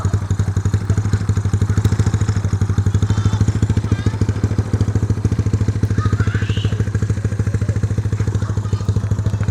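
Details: Freshly built Yamaha Mio scooter engine with carburettor, still running in: loud, steady, even popping beat and deep throb with no knocks or rattles; normal running.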